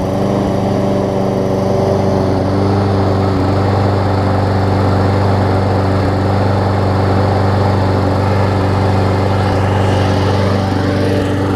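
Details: Briggs & Stratton Quantum push mower, first run after its carburetor was cleaned (clogged main jet): a steady, even drone holding governed speed with no misses or surging, just a little smoky; normal running.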